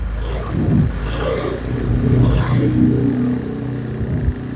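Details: Honda Vario 125 (old model) with severe hesitation (brebet), fuel pump pressure normal: engine revs unevenly with rough, stuttering pulls; O2 sensor reads stuck around 0.1 V even when warm and revved, suspected faulty O2 sensor or its connector.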